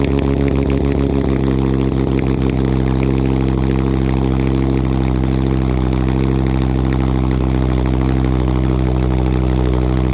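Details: Turbo VW Rabbit 2.5L with a C2 turbo kit and a 2.5-inch catless downpipe, no resonator, muffler deleted: loud, blatty idle right after a cold start, with a deep steady drone and raw rasp.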